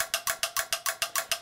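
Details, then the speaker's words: LG 42LC2DB TV with no power: rapid even relay clicks, about seven a second, as power board cycles without starting; once powered on properly. "nothing happens apart from this just cookie cookie cookie tricky dick actually one time it did power it properly but mostly it just goes yucky clicky clicky clicky clicky clicky"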